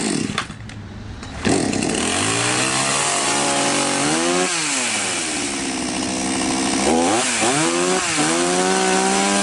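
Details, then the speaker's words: Chinese 4518 chainsaw just after its carburetor was replaced. The two-stroke catches, then revs up and drops back cleanly several times with crisp throttle response and no stumble; it runs normally. "инструмент работает нормально"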